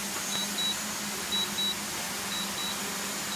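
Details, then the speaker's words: DJI Mavic Pro remote controller: high, thin double beeps about once a second while the screen shows Landing, but the drone keeps hovering for 10–15 minutes after return-to-home; the dead-stick issue was later fixed by a firmware update. "so it's saying landing on the screen right now yet it is not landing at all you just hear the beeping noise it's been hovering there for at least 10 minutes maybe 15 minutes so far"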